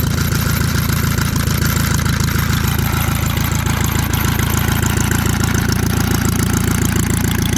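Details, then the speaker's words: Antique Saxon motor car engine after about 30 minutes running on first revival: even lumpy idle with steady mechanical whir from behind the timing cover, suspected timing gears, unconfirmed. "I do hear a little bit of noise behind the timing cover not sure if the camera picks it up sounds like"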